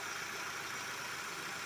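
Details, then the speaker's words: Hyundai Sonata after replacing the belt tensioner, idler pulley not replaced: quiet, even idle with a soft smooth hiss; the earlier rattling/squeaking noise is gone. "the noise that I had it's gone all right delts your battery's charged up um this is running good"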